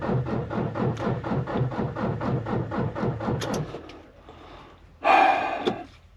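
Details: Volvo semi truck diesel, battery discharged (about 12 V, dropping to 9.8 V cranking), after change-oil and suspected clogged fuel line: slow, labored cranking about two strokes a second, never catches; crank no start, weak battery.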